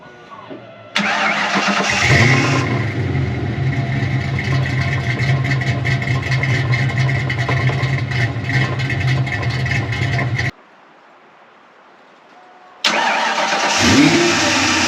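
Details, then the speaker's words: 1988 Ford Mustang LX Fox body, 306 stroker V8, after coolant temp sensor replacement, warming up for TPS setting: rough idle with uneven metallic banging from the rear about three a second; muffler hanging loose after wire tie popped off. "I know that muffler sounds freaking terrible banging back there that's all I can hear I tied it up with a wire but it popped loose so that you hear that horrible banging that's what you're hearing"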